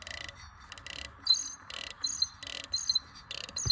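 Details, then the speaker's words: Massey Ferguson 168 tractor dynamo, removed and turned by hand: high thin squeaks in short bursts, about twice a second. The dynamo squeaks, cause unknown. "sounds a bit squeaky squeaky."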